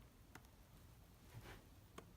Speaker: press the latch and the thing bounces open and holes right open oops yeah see we've got some issues here clicking